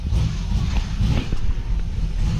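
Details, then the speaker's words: Car with a modified V8 (heads, cam and more): deep idle rumble with uneven, lumpy pulses and small surges instead of a steady beat. Rough idle; the car definitely needs tuning. "go ahead and shut her off she definitely needs tuning guys you can tell by a little bit of an idol issue that we have we are going to have to tune this car"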